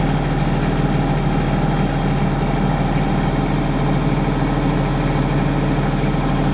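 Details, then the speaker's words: 30+ year old Denyo DCA-15SS-N genset, 1.6 three-cylinder Nissan diesel (18 PS at 1500 rpm), warming up after a cold start following years unused, revved slightly, no load: steady, even drone with no knocks or misses; normal running. "okay it's climbing in temperature we'll crank it up a little but normal running me"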